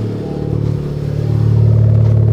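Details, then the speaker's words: Honda Civic Type R with misfire and sketchy start-ups, after spark plug replacement, running without valve cover: catches quickly, smooth steady idle with no stumbling; normal start and idle. "Easy start up. So everything seems cool."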